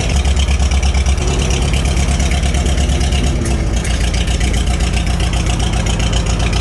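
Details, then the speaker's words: 1949 Farmall H gasoline tractor before tune-up, needing engine rebuild, bad thermostat, oil pressure dropping when warm: low loping idle with uneven beat and dropped pulses, one cylinder missing; owner suspects spark plugs. "if I pulled it up and I went back to running on all cylinders you can hear it missing and I think that's going to be spark plug related"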